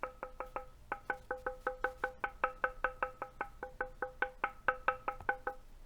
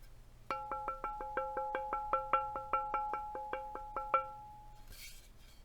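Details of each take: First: NovelKeys NK87 aluminum sandwich-mount keyboard: short dull knocks on the case with no lingering ping once the white damping material is fitted; ping gone at top and bottom of case. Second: NK87 aluminum keyboard, sandwich mount, with the bottom case dampening insert removed: quick taps leave a bright bell-like metal ping that goes away once the insert is back in.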